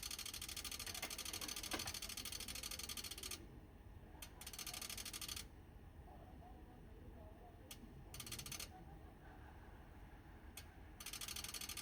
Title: TOPTEK PA-80V/U Dual Band Amplifier – Clicking Noise on 70cm Band